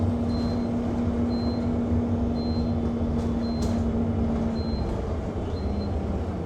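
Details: Go-Ahead London (Blue Triangle) Enviro 200 MMC 10.9m bus SE310 YX69NNP on route 364, recorded on board: short high beeps about once a second continue non-stop over the steady engine drone; constant warning beeping, cause unknown.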